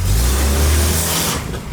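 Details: 1989 Volvo 240 DL Wagon before restoration: deep, loud, rough drone under acceleration, almost diesel-like; suspected exhaust leak needing checking, cause not confirmed, car needs front-to-back repair.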